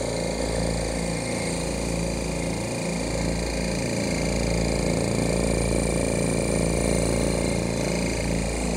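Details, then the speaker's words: Oil-less dental air compressor after a reed valve repair, filling an empty tank: even, fast pumping chug at steady pitch with no knocking; it cuts out near 110–115 psi, back on near 90, with solenoid unloading. "I've repaired it had some Reed valve problems and they've been fixed and it runs good"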